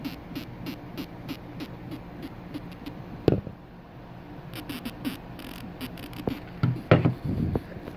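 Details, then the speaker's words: Electro-Voice ELX118P powered subwoofer amp board (swollen capacitors found) on test with a small speaker: faint program sound keeps fading and dropping out in irregular bursts. Cause was a bad connection in a cable, not the corroded spade terminal that was resoldered. "So the sound is keep coming and going. Let me try to get. So the sound is very far."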